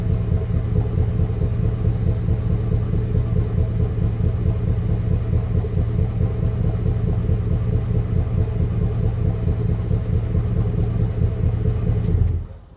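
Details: High-mileage Chevrolet Express / GMC Savana V8 van idling: deep uneven loping beat about once a second instead of smooth burble, one cylinder misfiring so it runs like a V7.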